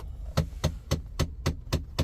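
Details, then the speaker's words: Mahindra Thar, key on with engine off: steady dull tuk-tuk knock about four times a second from the AC blower; failed blower motor. "தெரியுதுங்களா அந்த டக் டக் sound. ஆக்சுவலா இந்த sound எதனால வருதுன்னா இந்த AC பப்ளோயர் இருக்குல்ல இந்த ஏசி பப்ளோயர் உள்ள ஒரு மோட்டார் வரும். அந்த மோட்டார் போயிடுச்சுனாதான் இந்த சவுண்ட் வரும்."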